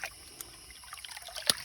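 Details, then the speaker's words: Hydraulic ram pump restarted after shutting off, water trickling with a sharp valve click now and then; it is cycling, and consistent clicks mean normal operation, though some water bleeding may need the line bled. "what you're looking for is consistent clicks"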